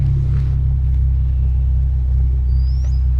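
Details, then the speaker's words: Hyundai Genesis with Stage 2 Competition Clutch and lightweight single-mass flywheel instead of OEM dual-mass, heard from inside the car: deep, even exhaust rumble at steady cold idle, no chatter, ticking or misfire; chatter only appears once warm. "So, you know, sounds normal. You can hear the exhaust and everything."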